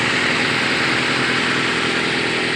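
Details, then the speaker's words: 1996/1997 Nissan Altima after replacing bad distributor rotor on crank no-start: started first try, smooth steady run with no misses, knocks or surging; normal running, fix confirmed. "So our diagnosis was definitely on point. We got her to run. First try, started right up."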